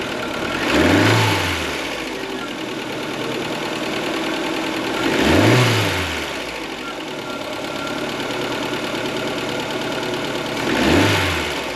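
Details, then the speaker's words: Ford Fiesta Mk4 1.3L Endura petrol engine, off the road since 2019 and long unserviced, running with a busy, fast top-end clatter from noisy tappets (excessive valve clearance), before adjustment. "I am going to sort the toppets out on it because they're making a right noise so we'll quieten the engine down"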